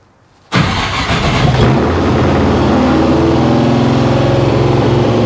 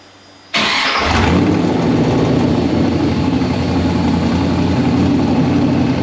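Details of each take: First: 1955 Chevy Nomad, small-block Chevy with sheet-metal tunnel ram and dual Holley Sniper EFI, on first start. It catches and shoots to a steady 2700 rpm high idle with throttle blades open too far; the owner suspects the tuner lost its settings. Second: 1955 Chevy Nomad small-block V8 with new sheet-metal tunnel ram and dual Holley Sniper fuel injection: cranks and catches straight away, settles to even idle, revs up quickly; normal start.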